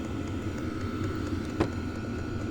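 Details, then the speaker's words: Vevor compact, toolbox-sized portable diesel heater, just fired up and now at full speed: a steady, even whoosh from the big intake fan with a constant thin whine and no rubbing or ticking. Normal fan running. "So, this is the actual heater. Air intake pushes air through. There's just a big fan in there. You can hear it running now."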